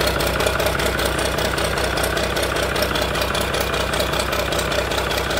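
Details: Engine rescued from a scrap yard, first run after fuel lines tightened, water flowing: steady, even diesel clatter at a settled idle about 1700 pulses a minute, no misses or knocks; running healthy.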